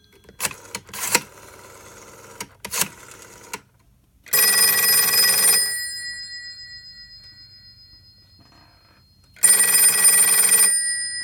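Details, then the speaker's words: Western Electric 302 telephone, newly fitted with spade lugs onto a connection block, tested after refitting the cover: two bright, clean, even bell rings with a long gap between them. The ringer is working normally. "So now I will do a dialing out test. I will call this phone here. That is working."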